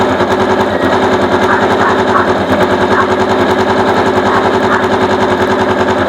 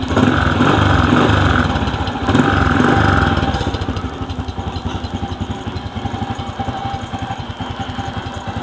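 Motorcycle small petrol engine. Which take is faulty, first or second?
first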